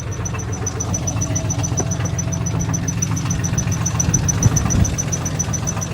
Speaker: I'm not sure if this engine is okay or not. I'm hearing some crazy noises under here.